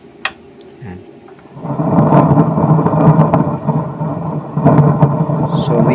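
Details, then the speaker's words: Konzert 6-channel mixer on Bluetooth input: a loud, rough, crackling rumble persists even with the volume off and after switching inputs; the main volume stage is already noisy, cause unknown. "So tumutunog naman siya pero ang ingay. Tapos kahit naka-off itong volume."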